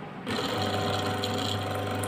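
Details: Ceiling fan motor that suddenly stopped, after checking for shorts and correctly retightening bolts so it doesn't jam, bench-tested; steady, even low hum with constant pitch and no scraping or wobble; normal running.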